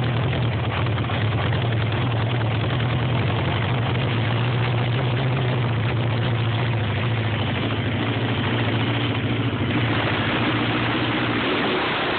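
A steady, low, droning idle that holds an even pace throughout, with nothing clear on top; the engine is reported to idle rough.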